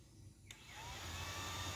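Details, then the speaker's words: Old Yamaha Vixion with code 21, coolant temp reading -21 °C and radiator fan not turning when hot: click then fan spins up to smooth steady whir, no rubbing; fan and relay working normally. "Nah, seperti ini masih berfungsi untuk kipas. Relay masih normal."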